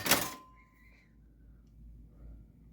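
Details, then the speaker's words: 1981 Gottlieb Mars God of War pinball machine, switched on after a fuse check: a single solid thunk, then quiet with a faint hum; the normal power-on thunk, with no lock-on. "as long as it doesn't lock on then we should be okay but this probably was just a power on thunk"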